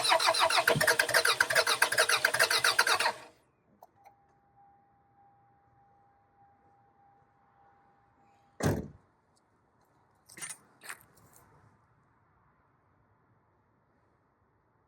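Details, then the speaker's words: 2002 Toyota Camry sitting over five years, coil pack harness found cut and repaired, starter fluid sprayed in: about three seconds of fast even cranking at 200-300 rpm, never fires; smells of fuel, possibly flooded. Crank no start. "Sounds like it says dumping fuel. It only smells like it's dumping fuel, but I mean I dump fuel. It should have ran."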